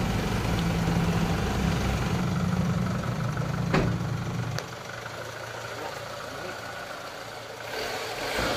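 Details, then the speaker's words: Mitsubishi Lancer at idle after alternator bearing replacement: an even, smooth idle with a steady low hum and the earlier loud metallic bearing rumble gone; normal idle. "so ayan ah wala na yung tunog kanina na naririnig namin nung customer na tunog bearing bakal so yan Okay na"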